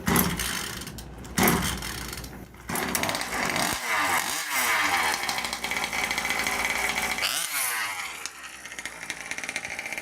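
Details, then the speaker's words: 1/5-scale Rovan Baja RC car two-stroke engine, pull-start after popping with choke, choke then shut fully off: a few rough pulls, catches and settles into buzzy, fairly steady idle; normal start and idle. "So now you're going to reach back, shut the choke completely off, and give it a couple more pulls."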